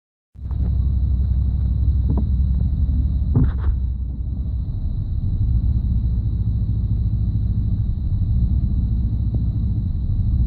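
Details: 1991 5.7 TBI engine at low idle: a deep idle rumble that stumbles now and then with no steady pattern, a random misfire. The owner notes random loss of spark on all cylinders; it runs fine at higher idle.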